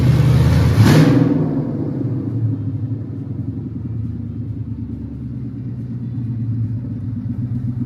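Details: 1967 Mustang Fastback Eleanor GT500 tribute with 5.0 Coyote V8 and T5, first start after wiring and battery box install: engine catches with a sharp burst, then settles into a deep, steady, even rumble; normal start, sounds healthy.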